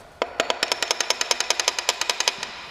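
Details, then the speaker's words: Rod knock from loose rod bearings, as explained on an engine teardown: sharp metallic clacks about eight to nine per second with no engine running behind them. "now when you hear the term rod knock you know exactly what that means that means this ugly"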